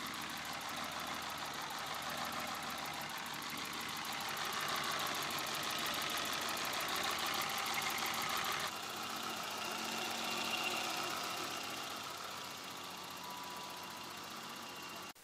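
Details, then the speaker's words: BMW E30 325i M20 six-cylinder idling before and after valve adjustment: a fast sewing-machine tick from poorly adjusted valves, then a smoother, quieter idle once adjusted. "I'll play you a sound clip of what it sounded like before and after, and you'll be able to hear the noise difference 100%."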